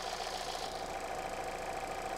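Smooth, even idle with a steady beat and no stumbles or skipped pulses; all cylinders firing cleanly.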